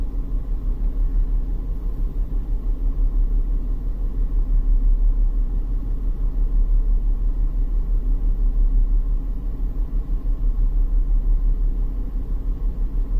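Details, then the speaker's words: 2001 BMW X5 3.0L with code P0306 and catalyst efficiency codes: low rumble in gear with an uneven, lumpy pulse about three times a second. The scope shows one coil not multi-striking, so a failing ignition coil is suspected of causing the misfire. "looks like we have a bag coil see that one does not look like the other ones the multi strike is not happening"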